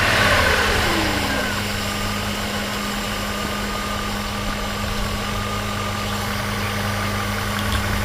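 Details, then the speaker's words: Warm-up not yet reached on a Mercedes W126 560SEL M117 V8 with CIS fuel distributor swapped from another car, idle control valve readjusted: now a smooth, steady, even idle, a huge improvement over the earlier misfire. "Now that is a good running M117 right now. Yeah, look at beautiful."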